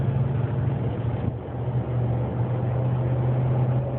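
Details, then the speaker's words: 2009 Dodge Ram 1500 accelerating around 35–53 mph: loud steady droning whine during the third-to-fourth gear shift, stopping off throttle and after the shift; source not identified. "Finally quits when it shifts, but man, it does it good. You just drive it a little bit, it makes the noise real loud."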